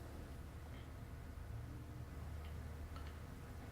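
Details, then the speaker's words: Chevrolet Cruze with P0442 small EVAP leak code: EVAP canister vent solenoid commanded on and off via scan tool, faint sharp clicks about every second, so it works electrically; leak status still unknown. "going to turn it on and off on and off on and off and I'm going to listen for it to audibly click I can hear that clicking so I'm going to assume that it's working electrically"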